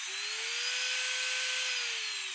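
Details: Manicure nail drill handpiece that was dropped: high whine climbing then easing with a raspy hiss, abnormal noise; nail dust in the bearing suspected, which was lubricated as a fix.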